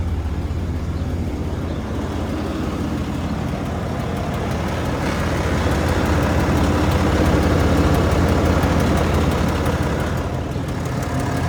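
Steady idle with a light, even tick of about four per second riding over the rumble; a top-end tick, source not pinned down.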